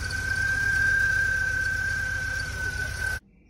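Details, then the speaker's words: 1987 VW Vanagon just after new MansiSpeed injectors, aluminum fuel rails and fuel lines, on first start: a steady high-pitched squeal at an even pitch over the running engine for about three seconds, then cuts off abruptly. It went quiet once off the jack stands; cause suspected, not confirmed. "try to start it now that's a squeaky build all right Crank It Again"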